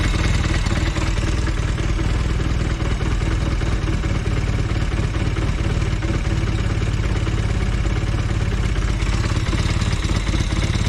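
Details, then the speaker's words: Velocette LE twin, idle turned down to about 700 rpm after clutch and points adjustment: a slow, even low thumping with a light clatter on top; the idle is set a bit too low. "Yeah, but I won't go much lower than that. It's a bit too low. It's about 700 RPM."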